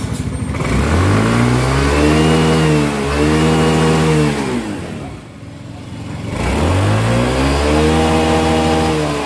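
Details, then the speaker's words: Yamaha Soul GT 125 after cleaning the fuel injector with carb cleaner (complaint was hesitant, bogging, misfiring throttle): two clean throttle blips, revs rise and fall smoothly with no stutter or misfire; healthy revving, air-screw adjustment still to do. "nah disini gasnya pun itu sudah plong dan enggak ada sendat ataupun brebet brebet nya lagi"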